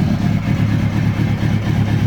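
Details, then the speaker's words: Kawasaki Ninja ZX-636 recovery bike during rebuild, just restarted after fuel injection install, engine cold: deep steady burble with slow slightly loping pulses, idle a bit low, shuts off with too much throttle; owner suspects plugs, unchecked. "idle's a little low and it kind of does that when you give it too much gas it shuts off"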